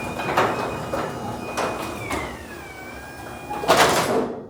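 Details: Garage door sound test before any work: door rolls up with irregular loose clattering bursts and a thin sliding squeal as worn rollers rattle in their hinge sockets. Sleeves and new bearings are planned, with the Green Hinge system.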